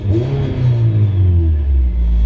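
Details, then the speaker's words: Naturally aspirated Miata with modified cheap eBay exhaust, side exit: revving with loose buzzy rattle over the exhaust note, worst on throttle, from baffling inside the shot resonator; exhaust resonator baffle rattle. "And now you can just constantly hear the baffling inside the resonator just rattling. That's what that rattling noise is."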